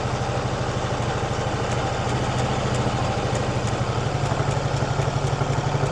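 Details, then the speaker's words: Old Harley-Davidson VL twin after maintenance, primed and kick-started: quick steady thumping idle about four beats a second; high idle speed, idle needs turning down. "Yeah, I need to turn the idle down."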